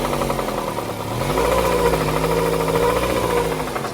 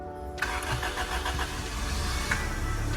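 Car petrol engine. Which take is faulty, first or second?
first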